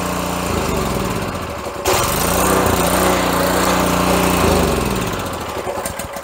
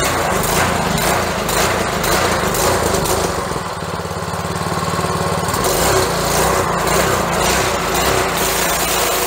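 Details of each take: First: Pressure washer's Honda engine, which sat unused, before repair: it runs fast at full throttle on full choke, then loses revs and fades as the choke comes off; owner suspects a clogged carburetor jet over a dirty air filter. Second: Honda-engine pressure washer after carburetor cleaning, at full throttle with the choke fully off: a strong, even small-engine drone with no misses or surging. It runs normally.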